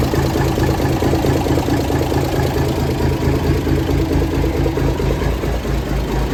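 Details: 1978 International Transtar II cabover diesel, first start after sitting 3 years during restoration: even idle clatter with a regular low beat, no misses or knocks; healthy, settled run.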